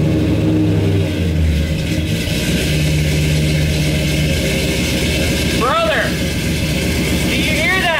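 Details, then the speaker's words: High Boy 390 V8 truck just converted to Sniper 2 EFI, first run: fires and settles into a steady, even idle with a couple of clean revs rising and falling smoothly. Running well. "sounds good it sounds so good"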